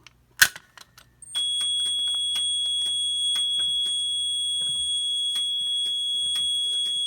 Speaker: we're gonna go ahead and pull it and you'll hear the relay clicking code 3 on the panel